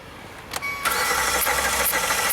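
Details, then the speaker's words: 2016 Hyundai Santa Fe V6 GDI, 125,000 miles, after a hydrolock from a fuel-flooded cylinder: steady, even cranking whir with no firing; the starter spins the engine over to blow the fuel out of the cylinder. "Cool. All right, we blew that cylinder out. That's good."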